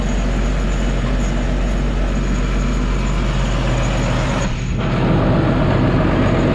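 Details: John Deere 7430 Premium tractor diesel, said to be ether addicted. A steady, even diesel drone holds without knocks or stumbles, and the pitch lifts slightly near the end; the engine runs normally.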